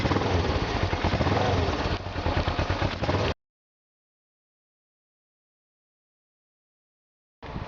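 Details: 2007 Suzuki GS500F parallel twin, carbs synced with a manometer and adjusted until both halves rise evenly when revved: a firm, even beat for three seconds before cutting out, with no misfire or hunting. Normal running.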